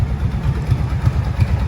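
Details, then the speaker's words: Kawasaki Brute Force ATV, warmed up, after jet kit, valve adjustment, new carb boots and Dynatek CDI: low, steady, even thumping idle, earlier ticking no longer heard; normal idle. "by now especially since it's warmed up in my other videos she is she is idling"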